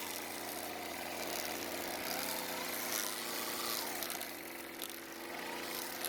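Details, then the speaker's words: Craftsman string trimmer with idle fuel richened slightly: a high-pitched two-stroke buzz holds steady with only slight speed drift and no sputter; it starts and runs fine. "so it starts and runs just fine now and even though the trimmer head would not stop spinning on the table after using it some more it finally stopped"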